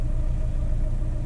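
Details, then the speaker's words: 2007 Ford Fiesta 1.4 TDCi diesel idling with number two injector unplugged: deep lumpy, pulsing idle, car vibrating, sounds the same as before; owner suspects bad number two injector, wiring or ECU, unconfirmed. "uh still running lumpy um yeah the car's vibrating still sounds pretty much the same as it was before"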